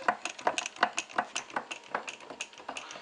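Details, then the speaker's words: 1936 Maytag model 92 single-cylinder engine popping along at about three beats a second with a light metallic knock on each firing stroke; owner says he made a mistake on this motor, cause unconfirmed; runs on 30-weight non-detergent oil. "now um I did make a little mistake on this motor if you can hear it's got a little knock in there"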